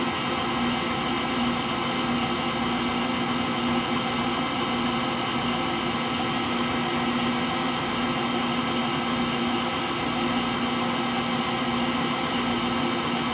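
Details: Frigidaire Gallery front-load washer GLTF1670AS1 final spin with bad motor bearings: constant rough roar and dull hum through the slower spin, never smoothing out, likened to a Pratt & Whitney JT8D jet engine.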